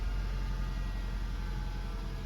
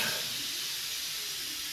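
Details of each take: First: Nissan Juke after repair of a fuel-pressure-related fault: steady, even engine hum held at 1500 rpm, no misses, knocks or surging; normal running. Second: 2016 Nissan Juke 1.2 turbo petrol: the high-pressure fuel pipe is removed and a huge amount of stored pressure releases as a sharp, sustained hiss. Pressure kept dissipating with no injector leakage, so the high-pressure fuel pump was condemned.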